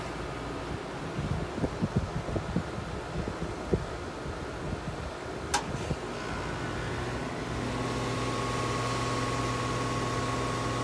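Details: 2016/17 Rheem 2.5-ton dual-zone central AC unit on first start-up of the cooling season: a few light clicks, then compressor and fan come up to a steady even hum with no rattles; starts and runs normally.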